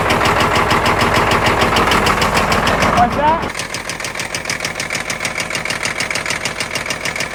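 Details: Caterpillar 977L track loader diesel, headed for scrap, started on ether: loud uneven chugging settling into a lumpy beat of about three pulses a second; runs rough but shows good oil pressure.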